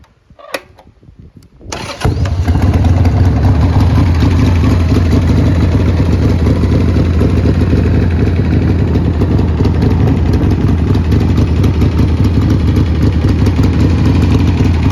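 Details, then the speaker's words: 1990 Harley-Davidson Sportster 883 Deluxe XL883DXL V-twin, 21,833 miles: short crank, quick catch, then steady even loping idle with no knocks or misses; starts well and motor runs healthy. "It looks quite rough, but it's all there. It starts well, the motor sounds good."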